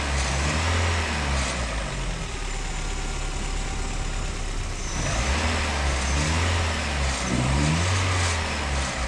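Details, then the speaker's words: Engine running with the knock sensor disconnected, on a car that ran well with no vibration or pinging beforehand: revs up and settles back smoothly with an even note and no knocking or rattling; normal running. "esto es porque este vehículo funcionaba bien no había vibración ni cascabeleo"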